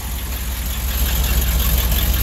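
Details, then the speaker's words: Chevy truck V8 at idle after exhaust header install, with fuel gauge still faulty: deep, steady chug with even, lumpy exhaust pulse, no knocks or ticks; engine running normally. "hear that not just chugs just chug it's a good truck"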